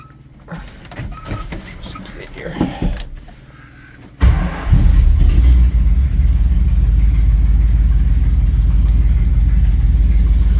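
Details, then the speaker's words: 1976 Dodge W150/W200 Power Wagon V8 with electric fuel pump and cherry bomb mufflers, starting and idling: starter cranks, loud lumpy idle with fast puffing tick up front; exhaust manifold/header leak, sounds okay out the back. "can kind of hear the exhaust uh leak there couple of CH cherry bombs in the back you can definitely hear that uh exhaust leak up there but she does run sounds okay out the back"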